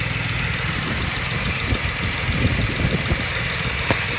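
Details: 2007 BMW 335 petrol engine idling unevenly with irregular thumps and stumbles, a misfire at idle; codes appeared after the car was parked for winter and the valve cover gasket was changed.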